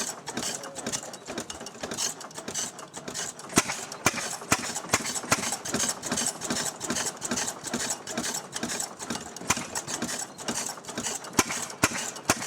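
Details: Restored 6hp Fairbanks Morse Model Z single-cylinder engine on kerosene, set up to drive a buzzsaw: slow steady beat with a light clack each intake stroke as the spring-loaded intake flapper slams shut when there's no vacuum; normal running.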